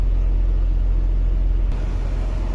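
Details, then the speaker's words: BMW E46 after idle problem repair (cold start rpm had surged up and down; fault codes cleared): low, even idle rumble, rpm no longer rising; normal steady idle; if it returns, idle air control valve or its connector suspected. "see no more idling problem after starting the engine RPM is no longer going up and"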